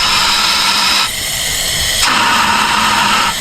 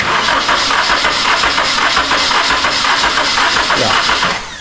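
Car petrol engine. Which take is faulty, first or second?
first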